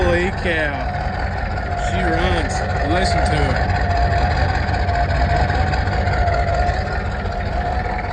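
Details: 1986 Ford F250 6.9 turbo diesel, just started on ether after water-contaminated oil was changed; recorded at the tailpipe, running briefly without coolant. Steady, even diesel clatter at idle with a low rumble and no misses or knocks; normal diesel idle.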